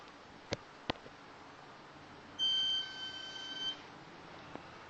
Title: BMW 535 Chirping noise